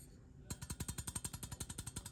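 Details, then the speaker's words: Fender Bassman 70 tube amp: rapid rattling knocks, about ten a second, through the speaker from an incredibly worn, microphonic tube with flaking gray plate material. "you hear that rattling sound that doesn't always equate to micronics or a noisy tube but it often does you shouldn't hear anything and this tube is incredibly worn out incredibly worn out"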